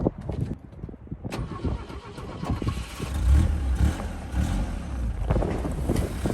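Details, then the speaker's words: Abandoned 1965 Toyota Corona first run after revival, fuel from a temporary tank: low, uneven, lumpy engine note with irregular firing; engine running rough, fuel filter later found full of gunk, suspected runability cause. "so I'm pulling the fuel filter on it sounded like it was having some runability issues"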